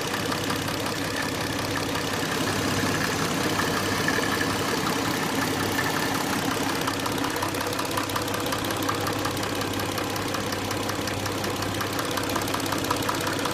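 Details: Hyundai Tucson at idle with fast, light ticking a bit under three per second over a steady idle; the hydraulic lifters are suspected, but this is not confirmed.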